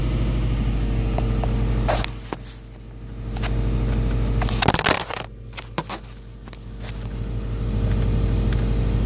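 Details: Subaru WRX petrol engine idling and revving with a light, fairly regular knock over the low engine note, heard only at idle and 3-4k rpm, from around the engine, not the exhaust; car has plenty of power; cause unknown.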